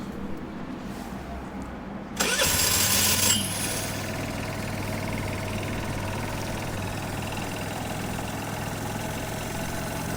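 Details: Peugeot Looxor 125 4T scooter with Piaggio Leader 125 engine, cold start in sub-zero winter on a fresh battery: quiet, short whirring crank, catches and settles into steady even idle; normal cold start and idle.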